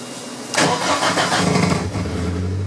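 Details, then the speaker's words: 1983 VW Rabbit GTI with 16V ABA engine, individual throttle bodies and Holley Dominator EFI, fuel prime set to about 20%: quick crank catches almost at once and settles to steady idle with no stumble; clean start. "There you go. So kicks over faster, but it doesn't stumble by having too much fuel."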